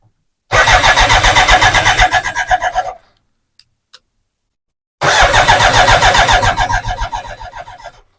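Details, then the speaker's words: BMW K100 after fitting a new in-tank fuel pump and reconnecting it: two bursts of even cranking about four turns per second, no catch, no fuel pump whine; pump likely not the cause, something else suspected. "turn the key still hear no fuel pump all right maybe it wasn't the fuel pump maybe it was something else"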